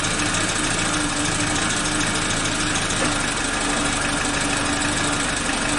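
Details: Suzuki Katana (Jimny) engine restarted after timing belt and tensioner replacement and valve adjustment, with oil level mid-range: even, steady idle, no knocks, misses or speed swings; healthy idle.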